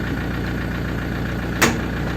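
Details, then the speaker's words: 2004 (B.E. 2547) Toyota Hilux Tiger D4D common-rail diesel, easy start, at idle: even firm diesel clatter, one brief handling bang; engine tight, not loose. Normal idle. "เครื่องยังดีเครื่องยังแน่นเครื่องไม่หลวมครับ"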